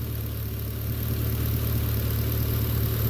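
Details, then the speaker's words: 2011 Chevrolet Caprice PPV LS L77 V8 with updated lifters, pushrods and rocker arms, Redline 10W-60 oil, AFM disabled, about 1,000 miles later, warm with oil pressure built: smooth low idle, no lifter tapping, only faint injector ticking. "puts it to a pretty much a dead silent you don't even hear it you don't hear any tapping or anything other than any injectors runs"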